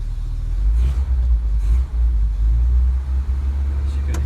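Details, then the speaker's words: Ford Transit Autosleeper camper, started on manual choke after sitting: a deep, even, low rumble at steady idle with no knocks or stumbles. Normal idle. "you can hear, she's purrs away silently."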